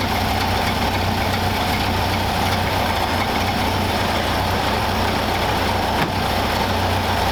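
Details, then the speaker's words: 1931 Ford Model A four-cylinder, fuel tank sludged from storage: even, steady low idle with no surging after the air-bound fuel line to the carburettor was bled; warmed up, sounds like a stock Model A. "got it pretty warmed up it's ID good sounds like a stock Model A so we're going to let this thing run and warm up"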